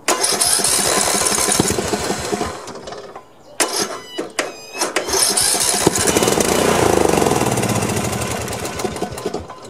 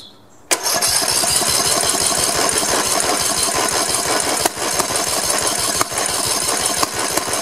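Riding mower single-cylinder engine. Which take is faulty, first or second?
first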